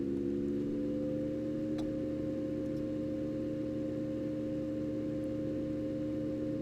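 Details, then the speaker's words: Enermax NEOChanger RGB water-cooling pump/reservoir at maximum 4,000 RPM: loud steady tone around 500 Hz with lower companions, like a fan at full speed or coil whine; normal pump noise at maximum speed. "And that is as loud as it gets. It sounds extremely loud, almost like it sounds like a fan running at full speed. If you have one of those ASUS motherboards, it sounds like coil whine, really."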